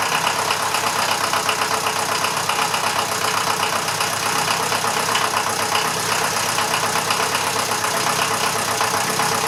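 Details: Standard 23C diesel in a Massey Ferguson 35/835 tractor, first run in at least a year: even diesel clatter at a steady idle of about four beats a second, no misses or surging; running normally.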